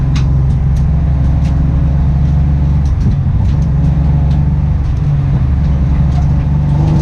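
Steady low engine rumble with an uneven beat and occasional stray pops breaking the rhythm; the engine is misfiring, cause unknown.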